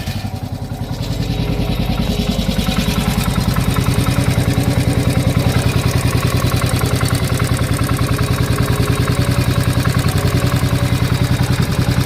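Single-cylinder thumps along at about 200 beats a minute with a hard, clattery knock riding on each firing stroke.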